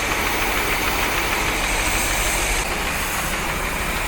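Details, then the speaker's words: 1973 Corvette 454 big block with rebuilt carb, revived after sitting since the 1980s, cylinder 8 misfiring; loud, clattery idle with a fast steady tick-knock, cause unknown, persists after plugging a potential vacuum leak on the number 8 runner. "it still runs about the same though there's also that knocking noise i don't know what to think about that"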